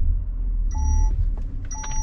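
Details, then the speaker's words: 2013 Peugeot 2008 1.2 PureTech 82 hp, inside the cabin: two clear repeated electronic beeps warning that the handbrake is still engaged when not released while pulling away. "Si je ne desserre pas le frein à main, ça vous fait ce bruit là."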